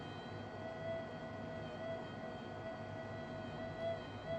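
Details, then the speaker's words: Minelab SD2000 metal detector, 25-year-old electronics, deliberately untuned and held side-on to the coil: a thin steady mid-pitch tone swells in wavering pulses, the earth-field signal heard before it is trimmed out. "So imagine swinging your detector and you hear this. All right, that's the earth field. So I can cancel that out."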